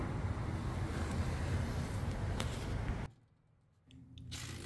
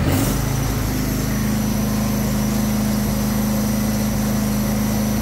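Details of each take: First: Husqvarna 22V46 riding lawn tractor, belt tension released, idlers spun by hand: one fine, one noisy, one rough gritty rumble that coasts to a stop; worn idler pulley bearing. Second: Husqvarna 22V46 riding lawn tractor, sold as smoking with suspected head gasket, battery 12.5 V: smooth steady drone at constant speed, no squeal or rattle from the belt area; idling normally.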